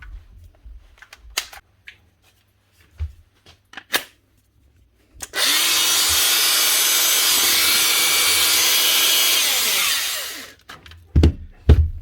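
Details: Makita cordless grinder after repair: spins up to a steady, even high whine for about five seconds, then winds down cleanly. The motor sounds healthy.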